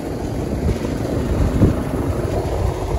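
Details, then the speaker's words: Old Rheem Classic central AC outdoor unit that would not turn on, after replacing capacitors: steady low hum of compressor and fan with even airy rush, no clicking or buzzing, normal running. "all right here's the final update got the ac running new capacitators"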